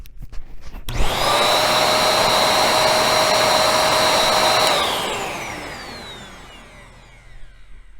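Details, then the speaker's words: Bissell 1306 Multi-Cyclonic upright vacuum after cleaning and maintenance: motor jumps to a steady, even whine with smooth airflow rush, then spins down cleanly, no moaning or pulsing; motor running better, normal. "all right listen for vader actually sounds like the motor is running better too"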